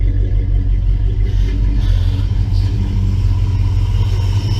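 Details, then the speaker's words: 1966 Plymouth Belvedere 440 Mopar V8 after FiTech EFI install: low, steady, even rumble with no knocks or stumbles; smooth quiet healthy idle, a lot quieter than before. "it I really do let's try this again here once I put the earth in around I guess it'll fit out but this here is not even noisy or anything is it's really quiet"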